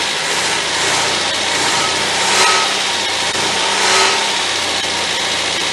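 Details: 1977 MGB after budget rebuild, coil fed 12 volts from fuse box, wiring still faulty: even running with a steady hiss and mild rise and fall, no knocks or misses; engine idles fine.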